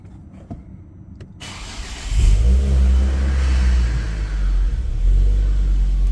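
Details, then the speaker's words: Ford Focus ST225 first start after replacing the oil filter housing (failed breather seal blowing oil; idle hunted at times): brief crank, catches cleanly, settles to steady even idle, no knocks; oil light out promptly, no leaks seen; normal start. "let's get in and start up and see if we've got any leaks or not obviously the um oil fill housing is going to need to fill up with oil"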